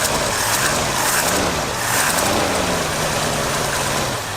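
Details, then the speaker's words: Late 1978 Ford F-150, previously flood-damaged, after patching the rotten fuel hard line with rubber lining; plastic fuel filter leaks: engine holds a steady idle under some hiss and clatter, no misses or stumbles; running properly. "that's a philly it does run your uh plastic fuel filter leaks though okay main voyage time we'll deal with that fuel leak later fire it up yeah runs pretty good flooded"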